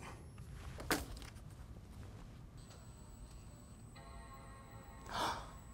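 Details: MacBook Pro A1286 that had been beeping every five seconds (RAM fault), powered on with a single RAM stick: a click, then a clean sustained startup chime with no repeating beeps. Normal boot; the second stick or slot is suspect.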